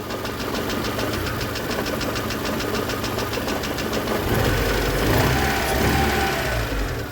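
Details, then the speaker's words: VAZ 2112 idling on an old used replacement ignition module: uneven idle with a regular stumble about three times a second; still misfiring, though better, so the ignition module needs replacing. "но с этим работает лучше хоть и троит но лучше итог нужно менять модуль зажигания"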